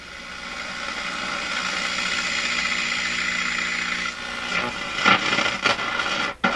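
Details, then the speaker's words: Florida AM/FM/SW tube radio, AM band: steady hiss breaking into sharp irregular crackles and pops from the AM tuning capacitor shorting when nearly fully meshed, while a screw is being adjusted. "It's still shorting right at the bottom area here, but it's no longer shorting out in the part of the AM band that's so important up here near Toronto, which is the 600 to, well, the lower half of the AM band."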